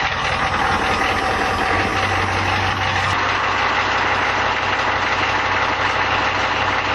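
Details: 1989 Ford F150 with 1986 6.9L diesel, C6 3-speed, 2.73 gears, 4-inch true dual stacks with resonators only, first cold start at -12°C: steady, even clatter with firm low idle, no misses or extra knocks; normal diesel idle.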